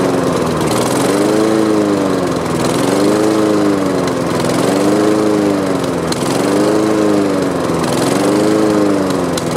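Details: Honda HRX217 mower that sat outside for years, pull-started on its old fuel after carb cleaner spray: the engine hunts up and down about every two seconds instead of holding steady speed. Owner plans fresh gas and a carb cleaning; cause unconfirmed.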